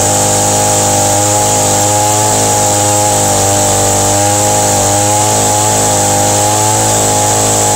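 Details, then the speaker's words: Echo SRM 225 two-stroke trimmer, sat a few weeks, fresh dribble of gas, started on choke: steady high-revving buzz holding an even pitch, no stumbling or surging; normal running. "all right that sounds pretty good"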